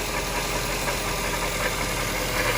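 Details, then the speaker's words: 1998 Jaguar XK8 at idle: steady low coarse grinding rumble like a metal pipe dragged on the floor, heard only at idle and gone with engine speed; tensioner new, not chain-related; owner suspects belt-driven accessory such as power steering pump or alternator. "it's a low grinding rumbling it almost sounds like a a vibration of some like it sounds like a metal pipe being dragged on the floor and you can only hear it when it's idling"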